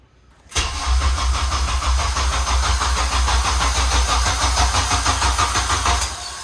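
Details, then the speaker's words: Honda JDM K24A first start after extra cranking to build oil pressure, as the block had sat for a long time: clean catch, then an even, steady burble at idle with no knocks or misses; a healthy-sounding engine. "She blubbing awfully nice. Yeah, that's where I was like, oh man, it sounds really good. Yeah. I'm pretty excited. Yeah, it definitely sounds healthy."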